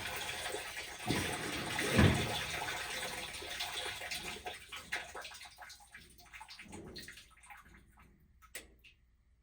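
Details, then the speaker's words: GE top-load washer GTW220ACK in service mode test 15 (agitate), filled with water: sloshing then loud rough roar with low hum; drive belt shredded and speed sensor destroyed, washer won't spin. "Oh, wow. Definitely noisy. Let's drain it. From 15, back down to 14, 13, 12. Let's drain it. Look at that. Belt's gone."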